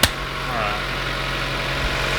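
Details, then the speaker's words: 2007 Mazda Miata after a 2.5 engine swap, first start after a smoke test found a leak; steady, even idle with smooth low hum, no misses, ticks or knocks, sounds a little deeper; normal healthy idle. "sounds really good uh take a look underneath and look for leaks i'm happy"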